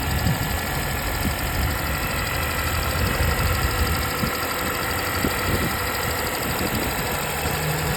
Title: 2025 Honda Civic hybrid sport engine ticking noise.